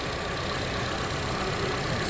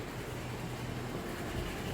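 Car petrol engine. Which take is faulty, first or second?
second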